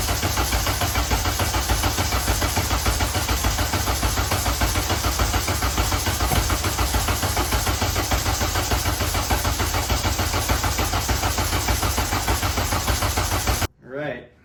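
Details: Honda Civic race car with K-series swap, cranking to check oil pressure before loading a base map, fuel system just reassembled: starter spins engine at steady even chug about thirteen seconds without firing, no scrapes; normal cranking.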